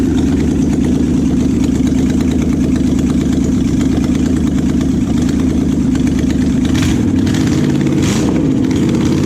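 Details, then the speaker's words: Junkyard Oldsmobile 350 V8 that had sat for years, run on an engine stand without cooling water hooked up, rusty; loud idle with ragged stumbling beat skipping now and then, missing at idle, expected to clear with longer running. "yeah I mean it's kind of missing at an idol but I think you know if we had it all hooked up to water and we could just let it sit and run I'll bet it's gone"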